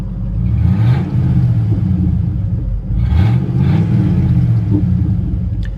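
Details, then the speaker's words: Ford F150 with 300,000 miles, formerly stolen, has an intermittent check engine light; under acceleration a deep, loud, raspy engine rumble, louder than normal, points to an exhaust leak. "It's got an exhaust leak. I'm sure you can hear that."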